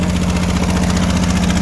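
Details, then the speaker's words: 1965 Ford Mustang, still warming up, just started in park: fast even idle with a smooth steady hum; idle sounds high with foot off the pedal. "It sounds like it's idle kind of high."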